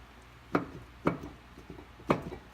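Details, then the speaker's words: New upper control arm job: the arm is rocked by hand, giving three sharp, hollow single clunks; the ball joint visibly moves and is worn loose, even on the 'good side'. "is literally look you can see the ball joint move it is hold and this is the good side"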